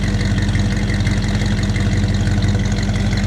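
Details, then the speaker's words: 1957 Chevrolet 283 small-block V8 after new distributor installed, points gapped .016, warming up: deep, even idle with smooth steady pulse, no knocks, ticks or stumbles, heard from the rear exhaust. Normal idle. "it's idling pretty nice right now I'll go ahead and let you listen to it back here"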